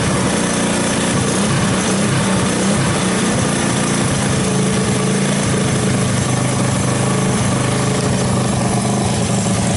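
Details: 1984 Honda ATC 200S single-cylinder ATV after long storage, started with starting fluid through the choke: lumpy putter with an irregular beat, clearly struggling; rough running.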